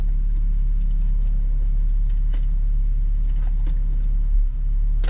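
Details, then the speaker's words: Nissan 370Z at idle right after replacing valve cover gaskets and spark plugs: deep idle rumble with an uneven, stumbling beat, still misfiring; idle misfire. "no yeah it's still misfiring bro [ __ ] [ __ ] you guys hear that i'm not sure you can hear that but this [ __ ] is misfiring"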